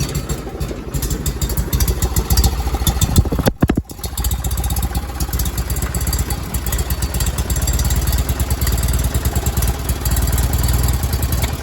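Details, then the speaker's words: Miller Bobcat 225G welder/generator that sat unused for years, after replacing the starter solenoid and fuel pump, started with partial choke: idles low, dips briefly, then settles into a steady, even faster run with no misses or knocks; running healthy. "And then we're just going to crank it over and and start it up. There it is. It's at idle."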